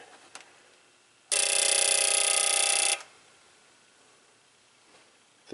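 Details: 2009 Chevy Cobalt injector balance/flow test after cylinder head valve job for P0300 misfire, injector number three: steady fast even buzzing pulse for about 1.5 seconds, pressure drops to 33; the injector is firing normally.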